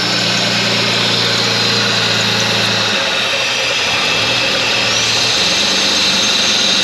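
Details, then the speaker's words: Holden VS Commodore ute being revived after sitting; petrol engine idles high with a hissy edge, idle dipping and rising, steadying when a finger covers the leak and surging again when removed: massive vacuum leak causing high idle. "If I take my finger off, there it goes again. Massive vacuum leak."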